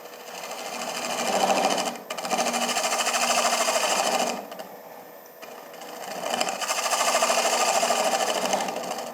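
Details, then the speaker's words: Wood lathe bowl turning, bottom being shaped with only cole jaws holding the bowl, carbide tool: rough buzzing cut with rapid rattling flutter, vibration chatter as the rubber cole jaw buttons flex. "you can hear the [Applause] vibration the cold jaw buttons are rubber and they will Flex a little bit"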